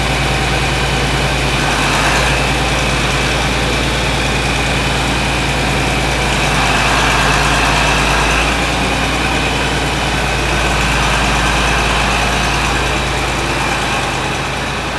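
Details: John Deere 4230 diesel tractor after a cold start, following frame bolt repair: loud, even diesel clatter at steady idle, about three firing pulses a second, no misses or knocks; normal idle.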